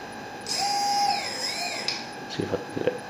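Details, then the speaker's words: Turnigy SK450 quadcopter motor on stock Multistar ESC firmware, throttle driven straight from the receiver: the whine sweeps, then at low throttle it intermittently clicks and stutters. Fix is reflashing the ESCs. "makes this clicking noise and then look what's going on bring it back down bring it back up so this scared the absolute crap out of me like I don't think you should be flying anything that does that to the motors"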